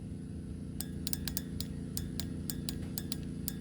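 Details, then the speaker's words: Old fuel injector off a Jeep XJ, bench-tested with 5 volts from a power probe: it clicks crisply, about a dozen uneven clicks in three seconds over a low hum, while the new GP Sorensen number-one injector failed after 50 miles and does nothing. "what i'm gonna do this is the old fuel injector you're gonna hear it click"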